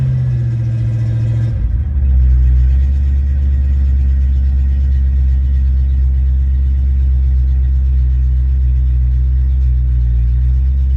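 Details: Ford Mustang mass-air car with a rebuilt A9P ECU on a test run: the engine comes off fast high idle into a deep, steady closed-loop idle around 800-900 rpm; normal, healthy idle.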